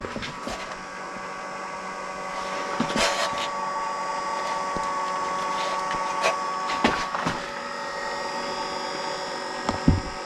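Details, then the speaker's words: 2004 VW Beetle Turbo S 1.8T with a charred, shorted fuse box and a no-crank, no-start: a steady electric whirring continues with the key off and stops when one fuse is pulled; something on that circuit drains the battery, source unknown. "i don't know what but if i pull this fuse it goes out so something on this circuit is making a ton of noise and killing the battery and this thing is no crank no start"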